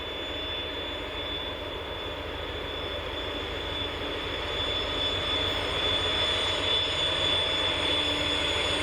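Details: TEP70-0356 diesel passenger locomotive hauling a train, after a medium overhaul at Voronezh works in November 2022: a steady high whistle over the low diesel rumble, firming slightly under load. Normal turbocharger whistle.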